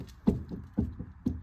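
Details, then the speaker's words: 1998 Honda Civic rear drum hub, wheel off, rocked by hand: three dull clunks about half a second apart. The whole rear wheel bearing has excessive play and is shot; both sides are being replaced, and the car sways on the highway. "That's not just the drum moving, that's the actual whole wheel bearing. So it's moving, and it's not supposed to."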